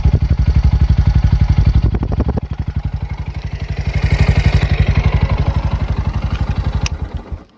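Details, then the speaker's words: Bajaj Pulsar NS125 after its 4th service and oil change, started on the self-starter, idling: quick, even ticking that keeps pace with engine speed; a tappet problem was found at servicing and is to be fixed. "Servicing कराने गया था तो टैपेड का problem था। भैया बोले कि 200 से 300 के आसपास पड़ेगा।"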